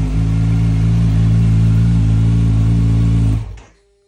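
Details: 2022 Kawasaki Z900 after no-start repair (suspected damaged ECU): strong, steady exhaust note held evenly with no misses or knocks, then cleanly switched off; engine runs healthy.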